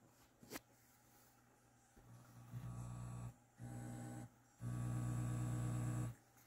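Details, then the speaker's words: NAD 7020 vintage receiver (rated 20 W per channel) with very low, distorted audio. Touching the pre-out/main-in jacks makes a deep, steady mains hum swell in three bursts. The power amp stage works fine; the fault lies in the preamp supply. "that tells me the power amps working fine"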